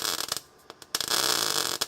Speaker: There we go. That's the sizzle. That's the noise you want.